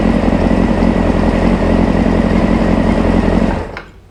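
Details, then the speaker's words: 1995 Honda CBR600F, warmed up after sitting a very long time: a smooth, even, quiet engine note holding steady before shut-off, with no knocks or misfires; running healthy. "ride well there you have it that runs really nice it's nice and quiet"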